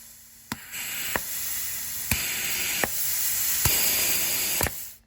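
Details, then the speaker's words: Ford E4OD/4R100 solenoid pack on a bench test, down to the coast clutch solenoid: bursts of hissing air with a sharp click at each switch, flow starting and stopping cleanly; the four shift solenoids and the TCC solenoid open and seal properly. "Also, you can hear all 4 clicking. And if you look close, you can see that check ball unseating and seating, really close."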